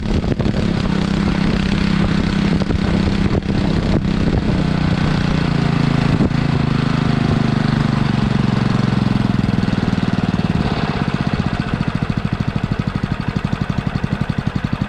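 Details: Sterling Honda-clone 6.5 hp engine on 3-inch trash pump, previously seized, primed and started on choke: starts and settles into an even, steady idle with regular firing; healthy.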